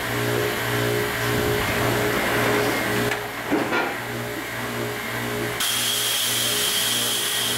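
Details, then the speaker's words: Belovac vacuum forming machine, plastic heated to forming temperature, oven rolled back, table raised: steady hum then sudden sustained air hiss as vacuum valve opens over the mold box; normal vacuum forming cycle. "okay so our plastic has reached the proper forming parameter so I'm going to roll the oven back raise the table and open the"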